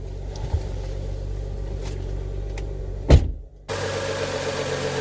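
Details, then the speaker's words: BMW E90 with N55 six-cylinder, after replacing belts and pulleys: smooth, even idle hum with no chatter or rattle from the belt drive apart from a brief handling thump; normal idle. "oh good there's no rattling as you could hear"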